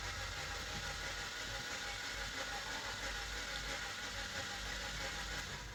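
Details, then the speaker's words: Suzuki engine that overheated, stalled while running and wouldn't restart; spark plugs and coils fitted, oil had been in the coil boots: fast, light, even cranking with no pumping beat, no compression; blown head gasket from overheating. "কিন্তু তারপরও engine ক্র্যাঙ্কিং করলাম self মারার পর কোন compression নাই cylinder একদম free হতেছে so এটার যে সমস্যা মূলত এটার গ্যাসকেটের প্রবলেম হয়ে গেছে"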